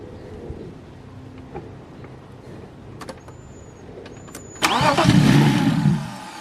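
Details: BMW E36 that previously sputtered and backfired, tried again after new knock sensors, a cleaned idle control valve and a timing check: quiet, then a short cranking burst where the engine barely catches and dies; hard start, cause not yet found.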